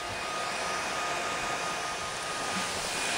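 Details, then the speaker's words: Dell Inspiron 8000/8100 laptop, 1 GHz Coppermine Pentium III, both fans set to 100% full speed, readings about 6,000-7,000 RPM before going erratic: steady airy rush with faint thin whistle; normal cooling fans at full speed. "That is the fans at 100% full throttle. The speed fan, the speed readings they give in miles out, they start off at about 6,000 RPM and then go to 7,000, then go haywire beyond that."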